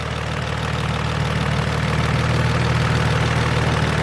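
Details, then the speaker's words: Infiniti G35 V6 at idle: light, quick tick of about four per second over a steady hum; owner suspects a lifter tick. "all right boys i know you hear that ticking sound it's the lifter don't worry i'm going to fix that soon"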